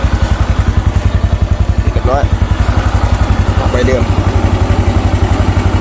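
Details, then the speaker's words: Honda Wave 110i injection motorcycle after repair of its ECU (pump ran but no spark): steady, even idle thump about four beats a second, no misses or stumbles; normal idle, ready to return. "นี่เรียบร้อยติดเลยครับผมพร้อมส่งกลับครับผม"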